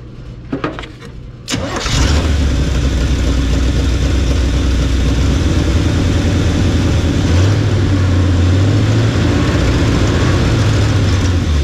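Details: 1975 Chevy 4x4 plow truck, restarted: cranks briefly, catches, then loud raw low rumble with rough flutter; exhaust missing, dumping under the holed cab; smokes, owner suspects no rings.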